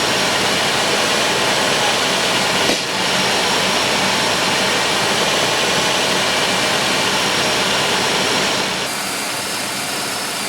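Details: 1995 Oldsmobile 3800, 138,000 miles, first start after timing chain and timing cover service, fresh Castrol high-mileage oil, cooling system being bled: steady, even idle with a smooth hum and no knocks or misses; running healthy.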